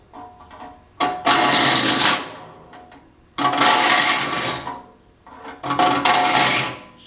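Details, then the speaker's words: Rip saw being sharpened with a file in a saw vise: rasping file strokes with a harsh ringing buzz; saw plate chatter. "don't want to get too far beyond the face of your solid ice because we'll start introducing a vibration and one that sounds funny two you're not getting a consistent stroke on your file"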